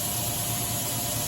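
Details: OKK MDV55 CNC vertical machining center, 50 taper, Fanuc, phone held right on the spindle: smooth, even hum with faint steady high whine and no rumble, growl or ticking; spindle bearings healthy and quiet.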